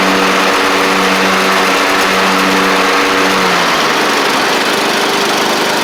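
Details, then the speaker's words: Troy-Bilt Pony riding mower with a swapped-in Briggs & Stratton 12.5hp flathead, driven up and down after the swap: steady, even drone with an unchanging beat and a slight pitch drop partway; engine runs normally. "I'll Crank It Up and just drive up and down a little bit for y'all just to show you that it's running and driving like like it's supposed to"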